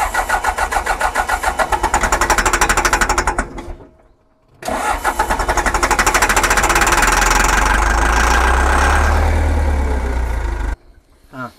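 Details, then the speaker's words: John Deere 310G backhoe diesel, abandoned, cranking on a new starter with possible air in the fuel system: strong steady cranking about three turns a second, pause, more cranking, never catches; crank no-start, no fuel delivery to pump. "Still ain't getting no juice. I'm thinking it's gonna be some of that stuff right there."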